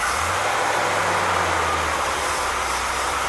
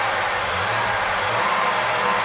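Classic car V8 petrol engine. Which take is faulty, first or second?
first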